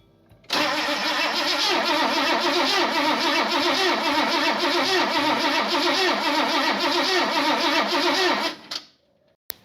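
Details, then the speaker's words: 1977 Ford Fairmont XC GXL 302 V8 after 12+ years stored, with fuel in the carb bowls and compression present: steady starter cranking about 3.5 beats a second for eight seconds, never firing; crank no-start. "it's not very interested I'm very curious about spark now it's got fuel it's got compression"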